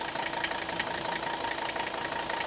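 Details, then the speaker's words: 1984 Mercedes-Benz 300D diesel with glow plugs, 250,000 miles, very little blow-by, at idle; steady, even, very mechanical tractor-like clatter with regular diesel knock, no misses or stumbles, healthy. "Now, these engines are very mechanical sounding, and they almost sound like tractors, but check this out."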